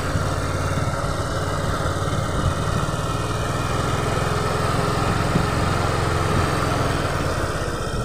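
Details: Honda Vario 125 FI that stalled and flashed MIL code 12; a speedometer cable shorting 12 V to the engine body was repaired. After the repair the idle is steady and even, with no misses or knocks, and code 12 no longer appears.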